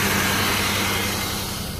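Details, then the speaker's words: Engine after lower intake and head gasket rework: an uneven, lumpy idle with a wavering low rumble, with visible engine shake and some smoke. The rough idle was traced to a fuel line leaking gas. "but the engine's shaking pretty bad. So something else must be off. For sure something else is off."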